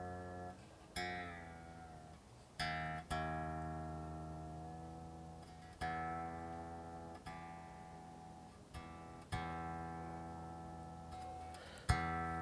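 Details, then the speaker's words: 1953 Les Paul Standard after the loose, wiggling bridge saddle that caused a buzzing harmonic vibration is fixed: single plucked notes ring and fade smoothly with no buzz; a purer, clean string note. "so you get a a more pure note"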